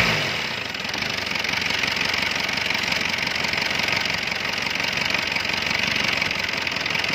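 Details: Mercedes C240 diesel with white smoke, misfire and wild idle; idle was lowered: settles into a steady, even idle with fine rapid clatter, no surging or hunting: normal diesel idle.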